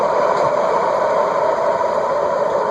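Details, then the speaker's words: Contech 56-inch cast-iron industrial ceiling fan, circa 1980s, bearings previously rusted stuck and freed: loud steady whirring roar with rough drone and faint scraping; worn bearings still catch on low and spin down quickly. "it's clearly still catching a little bit you can tell them tries to set it on low that it's catching and the spin downs pretty quick too"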